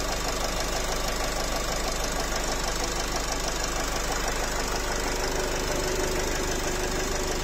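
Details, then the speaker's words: Nissan X-Trail 2.0 dCi diesel, 250,000 km, idling with no fault codes: sharp regular knocking about three a second over a steady idle, described as something squeaking in the engine. "Ну что-то ж там пищит в двигателе. Вот такая вот беда."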